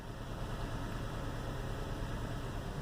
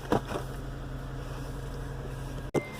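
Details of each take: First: 2008 Acura TSX 2.4 petrol engine idling with a low, uneven, lumpy rumble and shaking; code P0302, cylinder 2 misfire, from a failing ignition coil. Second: 2008 Acura TSX 2.4 diagnosed for a misfire by swapping ignition coils: after a new coil is fitted, the engine idles with a steady, even low hum and no stumble, with all four cylinders firing evenly.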